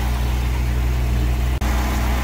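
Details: Stingray cuddy cabin boat engine, first start after the boat floated in hurricane floodwater: steady, even low rumble with no knocks, misses or rattles; normal idle.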